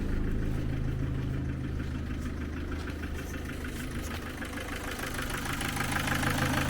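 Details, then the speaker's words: Ford Focus 2 after partial teardown and valve clearance measurement, one intake clearance corrected: light regular ticking about three a second over steady idle; other valves still out of spec, same tappet knock as before. "В общем , я частично разобрал двигатель, чтобы измерить зазоры которые не соответствовали норме, фактически не были отрегулированы, поэтому они по-прежнему издают тот же стук, что и раньше."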